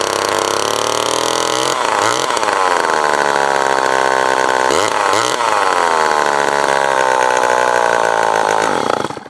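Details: Remington SL9 two-stroke chainsaw, first start attempt with fresh mixed fuel. It revs high and surges unevenly, then cuts out. Owner suspects the carburetor is getting too much air and needs adjusting; uneven running.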